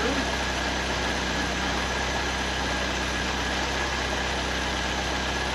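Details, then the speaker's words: 1931 Ford Model A coupe hot rod, Ford 2.3L with Holley 2300 350 CFM carb, warming up to draw antifreeze through: steady even idle with low smooth drone, no knocks or misses; healthy. "I turned the fan on a couple times, but the old Holly 2300 sitting here running good. 350 CFM."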